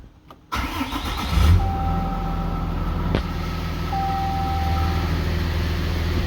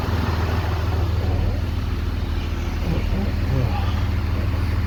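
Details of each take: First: 2013 Ram 3500 6.7L Cummins with low-power complaint, no codes; start at 143 coolant, fan at about 1,000 RPM, faster than engine; steady idle with loud constant fan roar over it; fan clutch locked on. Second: 2013 Ram 3500 6.7L Cummins idling after fan clutch replacement; low, even diesel idle rumble with a steady beat and no loud fan roar; now idling normally.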